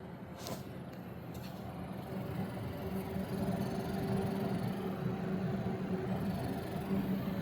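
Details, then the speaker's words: MSI MPG EZ120 ARGB 120 mm PWM fan (0–1900 RPM, fluid dynamic bearing), one of a new three-pack: steady low hum with faint swelling tone; weird noise, cause unclear, fan returned for replacement. "Okay, so here's the weird noise from that fan."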